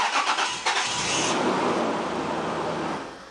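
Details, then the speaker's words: 1999 Holden Jackaroo with a 3.5 L engine and an intermittent no-start: a brief cranking whir catches into a rough start. 11 V is lost across the starter solenoid; the faulty solenoid means the whole starter is to be replaced. "potential difference that will indicate how many volts we're losing so let's crank it and see what we find okay we're losing 11 volts so we've only got about one volt something along those lines maybe even less than one volt going across that solenoid and certainly that's not going to start our starter motor is it"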